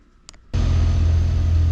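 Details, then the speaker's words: Chevy SSR after new transmission install and fluid fill, idling before warm-up and gear test: starts instantly, smooth even low idle, no knocks or hunting, no service engine lights; healthy idle. "everything's sounding good the thing's idling great no service engine lights or anything"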